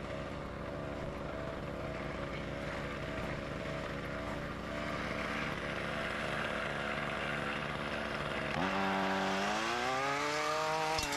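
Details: Ryobi RY253SS two-stroke trimmer, dumpster find, after carburetor replacement for a leaking carb, started at half choke; steady even buzz rising smoothly in pitch as throttle opens; engine runs cleanly.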